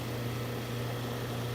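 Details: Goodman condenser with R22 refrigerant, charge a little low, heard running on a mild day around 65 degrees after start-up: even low hum with steady fan whoosh, no rattles or buzzing; warm air out the top, no major component damage, running normally.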